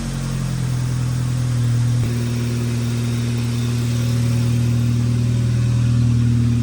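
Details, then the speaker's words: 2006 VW Mk5 GTI turbo, 034 Motorsports tune (stage 2, owner thinks), downpipe, CTS turbo exhaust, after vacuum leak repair: smooth even note stepping up in revs around two seconds and holding steady, no hiss or stumble; running healthy. "As you can see, the GTI is running great. Uh, it definitely feels like there might have been a vacuum leak for a very long time."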